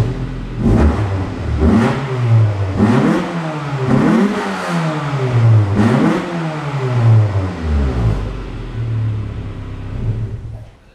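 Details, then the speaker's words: Beater wagon's old exhaust blowing at the rear, middle and front before replacement: rough, raspy note rising and falling with repeated revs, chuffing more than a sealed system should; exhaust leak. "so the current exhaust is exploding quite badly it's blowing somewhere at the back some in the middle and some at the front"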